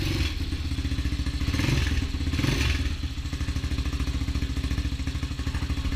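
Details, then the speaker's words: Honda XR200 single after rebuild with new transmission and other new parts, low on fuel: deep even thump at idle with light throttle blips, settles smoothly, no knocks or rattles; normal idle. "I'm not going to complain with the way that sounds. I believe we're about out of gas. Yeah, I believe I didn't put a whole lot of gas in there, but sounds pretty good to me."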